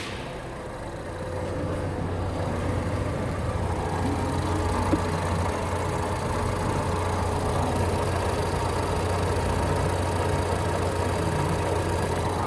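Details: 2014 Ford Fusion with newly installed aftermarket alternator, after BMS reset: with the connector unplugged the engine idles smooth and stable with a steady low hum, no surging; it needs an alternator, possibly a defective regulator.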